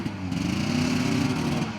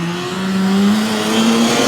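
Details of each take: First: 1981 Ski-Doo Blizzard 5500 two-stroke snowmobile with airbox refitted after coil fix: drones at a flat, labored pitch that never climbs despite throttle, can't move the sled; bogging, suspected plugged airbox, possibly mice. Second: 1981 Ski-Doo Blizzard 5500 two-stroke snowmobile, coil replaced and plugged in, airbox off: clean, steady high scream climbing evenly under full throttle with no stumble; normal full-throttle running.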